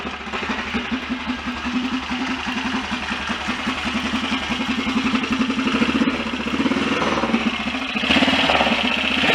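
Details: BSA DBD34 Gold Star 500 scrambler single, after carburettor work: even idle about four beats a second, revs rising near end, earlier dry scraping gone, likely something just touching; normal idle.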